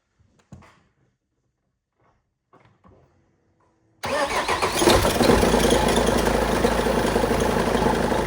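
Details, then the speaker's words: BMW E46 after starter motor replacement, jump-boosted due to flat battery: after a few quiet seconds the engine catches at once and settles into a steady, busy idle; clean start. "¡Está vivo!"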